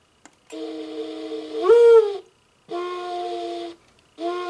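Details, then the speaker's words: Singing bird clock after replacing the movement and fixing a loose speaker solder joint: three clear, steady whistling bird calls with no rasp or crackle, no longer distorted. "That sounds a lot better. [Music] I think that sounds better in person. I don't know if the c if the speaker on that camera is going to pick it up, but it doesn't sound distorted."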